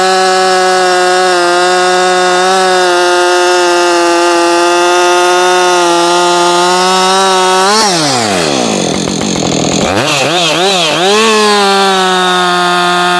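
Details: New Husqvarna 562XP Mark II chainsaw, first-ever run, cutting a log: high even scream drops sharply as it bites in, then climbs back cleanly; normal running under load, found its tune quickly.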